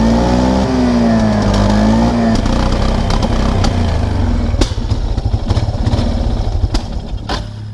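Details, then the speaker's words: 1999 Kawasaki Prairie 300 ATV on trail at full throttle: low drone sagging in pitch, never picks up, then stumbles and fades; bogging badly. "oh no no no no no no no no okay that's literally full throttle why"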